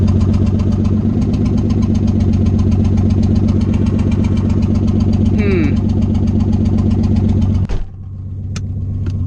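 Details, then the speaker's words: Nissan 300ZX idling loud with no exhaust (open headers), already fighting a bad misfire the owner blames on loose connectors; steady pulse with an occasional uneven putt, owner unsure if it's another misfire, intermittent at idle; engine then shuts off. "god i don't know what what that putt-putt sound is i don't know if that's a different misfire or what"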